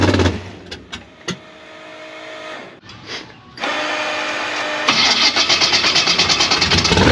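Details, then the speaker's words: Gasser C10 carbureted race engine after a jet change, settings backed out to 1.5 and linkage adjusted: cranking, a ragged catch with sharp pops, then a rough, uneven run; popping on startup, owner suspects lean jets. "If not, we're gonna have to swap back to some fatter jets, because that's the only thing that we can really think of at the time. It's causing it to pop and shut off."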